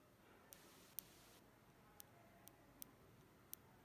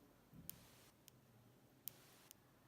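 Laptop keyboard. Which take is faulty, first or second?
second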